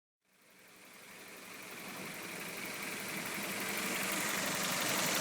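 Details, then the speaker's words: Well-built, run-in, warmed-up Toyota 4A-GE idling with the fan on at a steady 800–850 rpm, the Haynes and Toyota spec: smooth even idle, soft steady hiss, no knocks or misses; normal idle. "well with the fan on it Idols at the steady so about eight eight hundred eight fifty which is what uh Haynes and Toyota specify for the 4ag"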